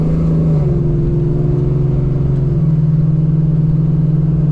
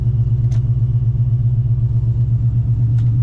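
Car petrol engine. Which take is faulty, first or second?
first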